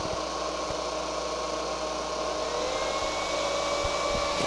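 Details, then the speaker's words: Temperature-controlled cooling fan on a homebuilt electronic load, with the thermocouple heated to 100 °C: steady whirring hum with a faint whine that swells as the fan ramps from low to full speed; fan running normally. "and then it comes on full speed"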